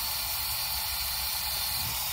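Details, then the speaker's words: 2017 GMC Yukon, L83 engine after DOD delete and cam swap, leakdown test with shop air into cylinder 8: steady high airy hiss at the exhaust, so the exhaust valve isn't seated; owner suspects a broken or weak valve spring. "I'm going cover up the exhaust for eight that's where it's coming out at which means the valve in there is not seated for whatever reason"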